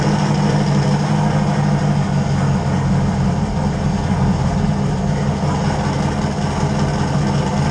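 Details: LS 5.3 swapped Fox Mustang, first start after refuelling a fuel cell run dry (60 psi fuel pressure on one pump): deep, even V8 rumble at steady idle with no misses, surges or knocks; running healthy.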